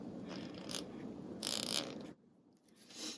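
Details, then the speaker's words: Ratchet (Snap-On vs Pittsburgh Pro comparison), taken apart and relubed: short bursts of crisp, light, very quiet, very solid, even clicks as the handle swings; healthy, well-lubed pawl. "Very quiet, very solid clicks."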